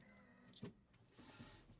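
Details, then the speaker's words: 1961 Cessna 172B with a newly installed Trio Avionics autopilot, in maintenance/test mode on the ground. A sharp mechanical clunk then a brief motor whir as the servos engage normally and hold the yoke. "engage the servos I mean let me turn it off and turn it on again you might be able to hear the clunk so the servos are"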